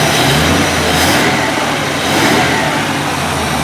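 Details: 1949 Mercury Meteor flathead V8 after head removal and bent valve and missing keeper repair on the no-compression cylinder: two smooth rev rises that fall back evenly, no knocking, ticking or misfire.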